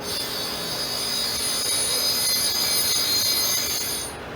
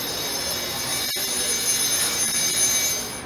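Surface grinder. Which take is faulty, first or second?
second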